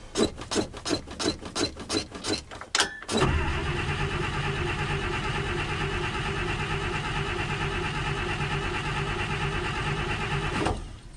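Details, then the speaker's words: 1956 Buick barn find, 322 Nailhead V8 with carburetor, first start attempt with fresh battery: starter cranks in steady pulses, about three a second, without firing; fuel pump not delivering, carburetor not squirting fuel, possibly empty or clogged tank. "Yeah, it sounds like we're not getting spark."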